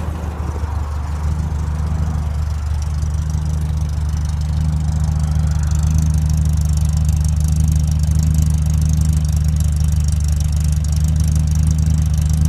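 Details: 1965 Morris Minor engine after owner rebuild (stripped, valves ground in, all gaskets, new gearbox, clutch, hoses, mounts): steady, even idle with a smooth low drone and no knocks or misses; sounds healthy.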